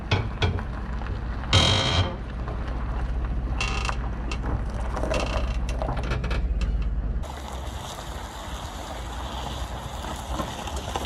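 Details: Equalizer weight distribution trailer hitch while towing slowly: irregular creaks and clunks over low rumble; noisy hitch, likely loose hardware.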